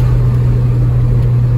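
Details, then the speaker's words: Nissan D21 Hardbody lowered 4 inches with angled blocks and shimmed carrier bearing, adjustable lifters set hot, cruising: steady low road and engine rumble with no scraping or rubbing; driveline vibration and squeak fixed, ride slightly bumpy. "She's a little bumpy because, you know, she's lowered now. But it's nothing that some Beltec shocks in the future won't fix. She rides pretty good though."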